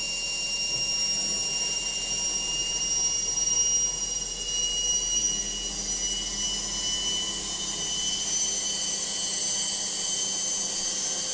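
A steady, high-pitched whirring roar with a shrill whine on top and almost no low thump: a noisy final spin, cause unclear.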